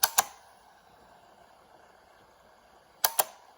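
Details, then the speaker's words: Restored Lucas 1970s 8-track car stereo player, select button pressed: two crisp double clicks about three seconds apart as the track-change solenoid at the back snaps. Working normally after repair. "that little solenoid at the back perfect and it's all working really well no issues with any of that at all"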